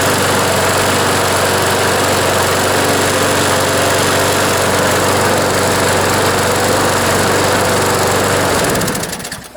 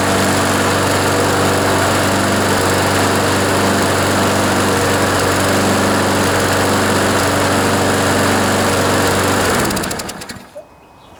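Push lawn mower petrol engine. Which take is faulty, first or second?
second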